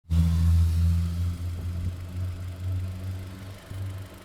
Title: AUDI TT 8N3 - knocking noise around belt area between 2000-3000rpm